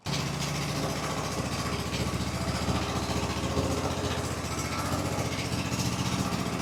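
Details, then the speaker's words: Husqvarna single-cylinder mower at wide-open throttle after the governor, wrongly set after replacement, is readjusted fully clockwise; steady even running with a firm regular beat, no hunting or surging; runs normally. "Take my throttle and go wide open with it. We're going to turn the governor all the way clockwise."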